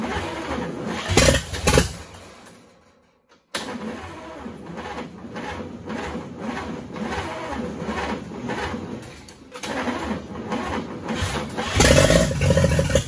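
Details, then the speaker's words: 1942 Chevrolet G506 truck on its first start after revival, fed from a fuel squirt bottle on a 6-volt system: it cranks, catches, dies, then fires again and stumbles along roughly; cause unconfirmed. "okay well had her going there a little bit not too ideal so i think we can do better"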